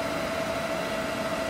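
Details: EG4 6000EX solar inverter in a barn system, charging batteries and settling at about 50 A (100 A across two inverters): a steady mid-pitched hum with an even fan rush, no surging or buzzing. Normal charging.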